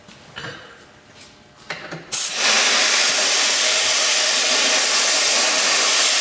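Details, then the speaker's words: Rebuilt Akron valve still leaking: after a quiet start, a loud steady hiss and spray as pressurized water forces around the closed ball, either a rebuild error or something worse. "that's weird okay well it's coming through the valve is coming right around the ball so either we did it wrong which is possible"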